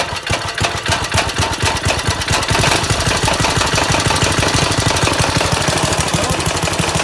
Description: This is a Briggs & Stratton 135212 5 HP Flathead I just rebuilt for my Go Kart ..It had seized valves and a broken tappet. Now it sings !! ..enjoy..